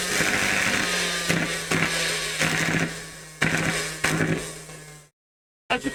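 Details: Henry vacuum motor held down, sparking heavily with burning smell and very little power: whine with ragged, uneven crackle and repeated surging bursts, weak and strained; consistent with worn brushes sparking.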